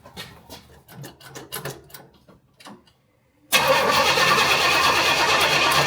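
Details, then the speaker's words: Carbureted car with new 2.5-inch exhaust, cranked after carburetor work, carburetor leaking fuel: steady cranking at about three beats a second, then catches and roars loudly but stumbles; still bogging, owner blames float height. "But it sounded like it was still bogging. The problem is the float height, you have to take the carburetor back off."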